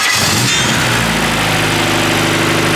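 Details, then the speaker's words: Honda K-series swapped Nissan S14 at first start-up, some fuel taken out: steady, even, smooth idle with no misses or knocks; the engine sounds healthy. "that sounds awesome that sounds so good all right killer dude she sounds good"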